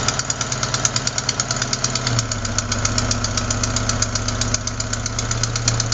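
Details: Crisp ticking, one or two a second, locked to idle speed over steady hum; not lifters or rocker adjusters but a leaking exhaust manifold gasket at cylinder 4, which replacing the gasket should fix.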